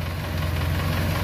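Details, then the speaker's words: 2.3–2.5 Ford Ranger, about 4,000 miles since build, warm idle before teardown: faint, light ticking over the steady low hum, intermittent, varying quiet to loud; sticking hydraulic lifter, before repair. "we got just a little bit of a tick and sometimes it does it sometimes it doesn't sometimes it's super loud sometimes it's quiet like this"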